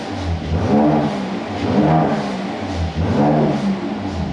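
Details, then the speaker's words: Rebuilt wrecked 2018 Mercedes C43 AMG, already warmed up: three clean throttle blips with pitch climbing and falling smoothly and a deep burbly exhaust with no rattles. The engine sounds healthy. "now look at everything literally now the car sounds and looks the part look at everything guys let me know what you think of what we have"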